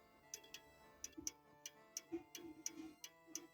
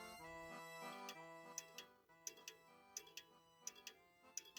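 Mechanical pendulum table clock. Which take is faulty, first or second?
second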